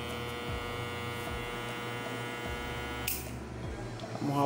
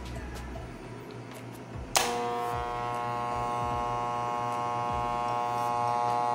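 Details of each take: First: Hair clipper that turns on and off when its cable is moved: buzzing motor hum for about three seconds, then an abrupt cut-out. A loose internal connector is suspected; intermittent motor cut-out. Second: Hair clipper after repair of the cord ground connection that made it cut out when the cable moved: it switches on into a steady, even buzz holding pitch without rattle or labouring; the motor and blade sound healthy.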